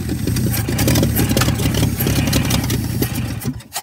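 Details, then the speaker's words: 1967 Chevy C-10 that had sat for an unknown time, started with a little choke after a fresh pickup: cranks, catches and runs with a loose, lumpy low rumble for a few seconds before dying; fires up easily. "okay well there we go we got it to fire up unbelievable i have no idea how long that thing's been sitting but that didn't take much did it"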